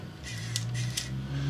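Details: Sony TCD-D7/D8 DAT mechanism after repair, eject cycle with mechanism tricked into sensing a tape: short motor whir rising in pitch with crisp clicks; fully ejects and pushes door-opening arm, completes normally.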